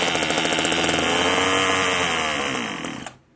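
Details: One of two marketplace Homelite string trimmers (Homelite-branded or Craftsman-rebranded), bottle-fed 2-cycle fuel with compression and spark unknown beforehand: a high, buzzy two-stroke that revs, sags as the fuel runs out, then cuts out abruptly. It runs fine while fuelled.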